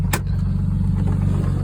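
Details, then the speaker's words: 1989 Jeep Cherokee 4.0 inline-6, warm idle after about 10 minutes, oil pressure down to around 20 psi: faint regular light knock tied to engine speed; owner suspects rod bearings or lifters, with no performance loss over 3,000 miles. "And as you see now, it's warmed up. It's dropped down to about around 20."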